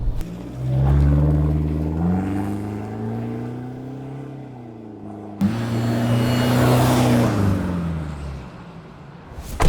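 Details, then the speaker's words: Toyota N70 Hilux diesel after 3-inch Torqit exhaust, front-mount intercooler, custom airbox, snorkel and engine tune, driving; deep smooth exhaust rumble rising and falling evenly with throttle, no drone or rattle; healthy note. "The good thing is that torqued exhaust, it's got a real nice note, so with the window down, if I want to listen to it when I give it a go, that sounds mint."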